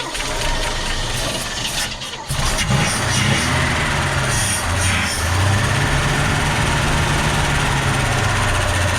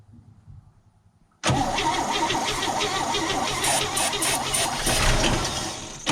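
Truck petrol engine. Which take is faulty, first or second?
second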